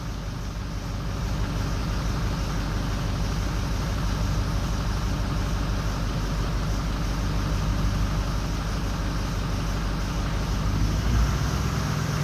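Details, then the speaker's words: 6.0L Powerstroke diesel at idle during a power-balance test: lumpy, uneven low thump of about three pulses a second as bank 1 odd injectors drop out (No. 7 seen first). The FICM is brand new. Misfire from injectors dropping out. "Okay, see that number 7 dropping out? That's not running the greatest, but it's gonna get worse."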